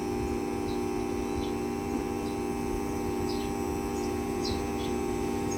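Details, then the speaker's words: Daikin aircon outdoor unit, after topping up low refrigerant: smooth, constant compressor and fan hum with no knocking. Now runs continuously; cooling is okay. "Ibig sabihin ay okay na yung lamig ng aircon. tuloy-tuloy na rin yung andar ng outdo bumaba 14 solve"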